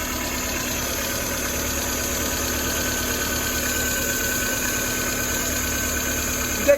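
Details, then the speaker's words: Chevy (Geo) Metro with the AC condenser and fan removed, at idle: a constant thin high-pitched whine that never changes; owner suspects the AC compressor clutch. "guys hear that high pitch? Is that the compressor clutch that I'm hearing?"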